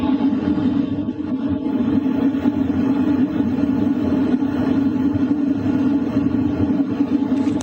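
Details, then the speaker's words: LF Bros diesel heater set to 4 kW, recorded near the air duct with exhaust pipe outside: steady even hum with constant airy rush, no knocks or rattles; normal running. "What you're hearing right now is mostly the sound from the air duct, and also the exhaust pipe outside. What it sounds like at 4 kilowatts."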